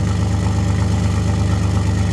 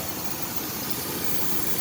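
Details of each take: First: 2001 Chevrolet S10 Blazer 4x4 4.3 L with 165,000 miles, sat two years, running on two-year-old gas, oil pressure not great; smooth even low-rumble idle with no misses or knocks, no check engine light. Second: 2001 Chevy S10 Blazer 4x4 4.3 V6, started after sitting two years, warm at idle: steady airy hiss of a vacuum leak somewhere on the intake.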